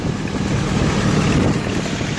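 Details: 1995 Jeep Wrangler YJ, 2.5L four-cylinder with a five-speed, at startup and idle: belt squeal on starting, then a loud steady low idle with an even beat; an exhaust manifold leak is mentioned as typical for these engines.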